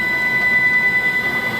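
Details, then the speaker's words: Langmuir Crossfire Pro CNC plasma table after refurbishment, running the initial test file end to end: clean steady high-pitched stepper whine holds even as the gantry moves and fades at the end; motion sounds smooth and healthy. "I'd call that a big success um it actually sounds pretty decent so I think we're in good shape"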